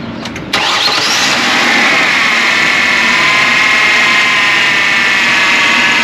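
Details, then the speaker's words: 3.0L Mercury Sable/Ford Taurus after alternator replacement: brief crank, quick catch, then a smooth, steady idle with even firing, and no battery light. Normal start and idle. "no battery light awesome and that's it that's how you do it pretty simple"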